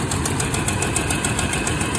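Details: 1991 Toyota Land Cruiser 3FE after new fuel pressure regulator and fuel damper: uneven idle with a loose, irregular patter and faint ticking; still rough, replacement didn't fix rough idle, no power, poor mileage.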